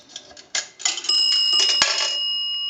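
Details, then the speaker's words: Northern Electric 3-slot payphone after repair and conversion, final checkout via an amplified pickup on the receiver: dime gives two bright bell strikes about two-thirds of a second apart over coin clatter. Normal dime signal. "We want to do a dime. A dime is going to ring the bell 2 times."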